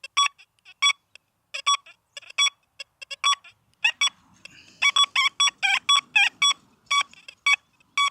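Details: XP Deus II metal detector, iron-settings test on a freestanding target: short clean repeated beeps at one mid-high pitch without crackle, a smooth signal from a genuine non-iron target rather than the rough forced iron signal.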